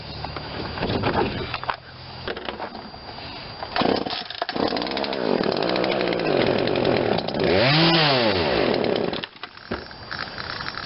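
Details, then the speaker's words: Poulan Wild Thing 40cc 2-stroke chainsaw with new aftermarket carburetor during tuning: revs rise and fall unevenly, sagging and burbling off throttle, nearly dying; bogs at low speed, suspected too much fuel from main jet opened too far. "Most likely now when it gets down to low speed, we have too much fuel because I opened up the main jet too much."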